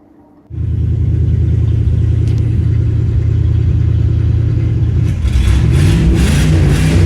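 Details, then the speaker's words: 1982 Pontiac Firebird Trans Am 305 V8, after 12 years sitting, fuel line flushed and fresh gas added: catches and settles into a steady deep rumble with a few revs, runs on its own; coolant leak afterward, soft plug or cracked block suspected. "Finally, it runs on its own."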